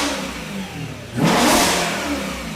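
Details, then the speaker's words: M3 with a flat-plane V8, first start after new rod bearings and a brand-new exhaust. It idles, then snaps up in one clean rev and settles back smoothly, with no knocking or tapping. Normal revving; the engine sounds as it should. "yeah hell yeah that's what supposed to sound like that's great let's go woo damn yeah dude she's alive"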